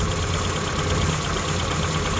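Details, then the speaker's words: Carbureted Suzuki Samurai, warm idle while rotating the distributor with a timing light; idle rises or sags toward stalling as timing moves, settling smooth and even at the correct 10° mark. "so if I rotate the distributor you can see the timing mark moving and you can also hear the engine revving up or or toning down idling down to where it wants to die or running higher"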